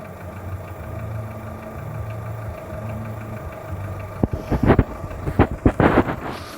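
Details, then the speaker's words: Skoda Fabia 1.4, cold idle: steady low drone with faint repeating tap, heard mostly from below, near timing belt area; audible from afar. Dealer says piston slap, normal; hydraulic lifters also tick cold. Knock at idle, cause unconfirmed. "Больше всего его слышно где-то снизу. Официалы говорят, что это перекладывается поршень, и это все в порядке вещей."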